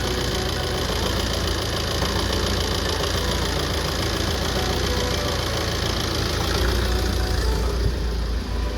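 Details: Tata Safari Storme diesel, right-hand drive, with P0203 injector circuit fault: rough idle with an uneven knock about three or four a second, pointing to a misfiring cylinder from the injector circuit fault.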